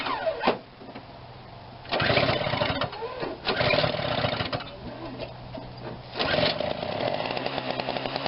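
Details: Snapper 17-inch snowthrower under repair, primed and started: the small single-cylinder engine catches and settles into a fairly steady run with some surging, with no knocking or grinding. Normal running.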